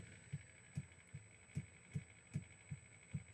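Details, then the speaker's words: FMS FCX10 Toyota LC80 RC truck crawling slowly at full steering lock; regular dull clicks about 2.5 per second from the front axle joint, the angle too steep for the axles, the tire lagging. "All right, now, this rotational thing, you can hear that clicking in there? I hope it comes out on camera."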